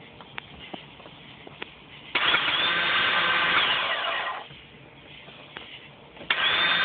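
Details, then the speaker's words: 1999 Sea-Doo GTX Limited with a fully charged battery: the starter gives a high, free-spinning electric whine with no cranking and no catch, suspected Bendix drive not engaging the flywheel. "um having problem starting it sounds like the starter is engaging but the bendex is not engaging the fly whe and it's spinning freely let me know what you guys think"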